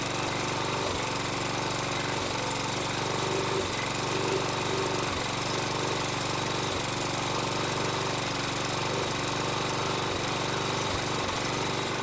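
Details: Toro Recycler mower, Kohler 6.75 engine, after swapping to new Everest carburetor, very smoky and burning oil: steady run with brief dropouts lasting milliseconds; intermittent misfire, cause not pinned down.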